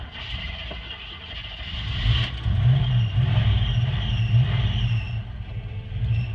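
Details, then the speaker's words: Restored 1986 Jeep Grand Wagoneer carbureted V8, garage-kept and rarely used, started after two squirts of gas: high chirping squeal over the V8 rumble as it catches and revs; unused drive belt squeaks, not cracked, new belt suggested. "you kind of heard that belt squeak it's pretty common uh hasn't really been used a lot it's been in the garage so easy fix to that is to just get a new belt on it"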